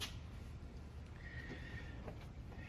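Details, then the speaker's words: 1973 Ford LTD with 460 V8: thin, high squeak over a low rumble when turning the wheel, only after longer drives (not within 10 miles); front end fully greased; cause is the dried-out rubber boot around the steering shaft near the rag joint; fix is white lithium grease. "you start driving at longer distances you start turning the wheel and you hear like a squeaking noise"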